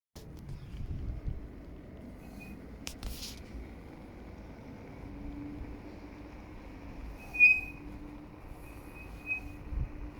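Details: Kukirin G3 Pro rear brake while riding: faint steady high squeal, flaring into a brief sharp squeak mid-run; brake squeal.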